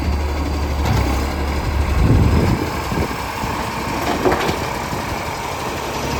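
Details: Heavy diesel vehicle (SL061) idling then pulling away, loud rough low roar rising under load; exhaust leak; loud exhaust roar.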